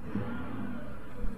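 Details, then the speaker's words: Copart car, believed to be a direct-injection 3.6 V6 with about 200,000 miles, parked and given a short rev blip that rises and settles smoothly with no knocks or rattles. There is no check engine light, a slight power steering whine, and the AC works; it sounds healthy. "oh ac works i turned you off all right she don't sound bad"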